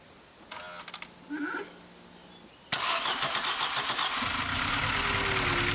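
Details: VW Golf Mk3 engine, first start after head gasket replacement, before coolant and air filter box are fitted: a few quiet clicks, then it catches with a sharp burst and settles into a steady, even idle; normal start.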